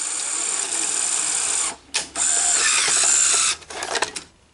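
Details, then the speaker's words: Sony SL-HF400 cassette deck: a small motor whirs and gears grind as the sticking cassette housing moves, stalling briefly before stopping with clunks; it still ejects, but the sticking housing needs investigation. "there is definitely something going on with cassette housing um because it's sticking so probably do an investigation on that and see what's going on there but so it does appear to be kicking out like it should it's but it's still kind of like you can hear the gears grinding a little bit so that is concerning"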